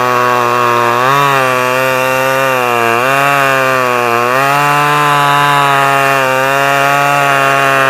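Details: Stihl 011AV two-stroke chainsaw after a carburetor rebuild and a spark plug coil wire fix; a steady high buzz whose pitch wavers a little as the throttle hunts. Running properly; owner guesses it may need crank seals as it is awkward to tune.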